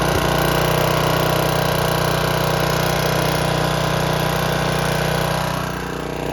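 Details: Snapper riding mower with a leaky aftermarket Chinese carburetor: a steady engine drone with a lumpy, uneven beat underneath, puffing black smoke. It runs rich and rough because a stuck float is flooding the carburetor.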